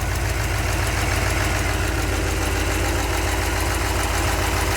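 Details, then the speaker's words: 383 stroker V8 in a truck, after engine repair, warming up outside at idle: fast, light ticking over a low rumble from a couple of small exhaust manifold leaks; gaskets used instead of RTV on a chewed-up manifold. "sounds good couple of small exhaust leaks ii's gaskets instead of RTV this time because i chewed up the manifold"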